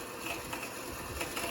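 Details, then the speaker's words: Bandsaw cutting a bowed hickory board, even at slower feed: rough, rattling cut with irregular catches as the blade catches and chatters in the hard wood; the blade later snapped and was changed. "But even going slower, you can still hear the blade is catching and chattering."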